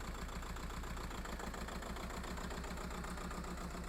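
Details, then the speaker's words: Skoda Fabia Mk1 1.9 TDI PD diesel pulling away after injector wiring loom replacement: uneven lumpy idle, about four stumbles a second, misfire returned worse; suspected cause the new loom's thinner wires than original. "Don't know if you can hear that, but that started the misfire again."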